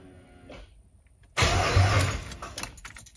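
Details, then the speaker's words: 5.7 Hemi swapped into a Grand Wagoneer, first turn-over after wiring, with the fuel pump primed: a sudden loud burst of starter cranking, then it dies away. Starter works, no fuel leaking or smelled. "hey hey all right so the starter works I don't see no fuel leaking I don't smell no fuel"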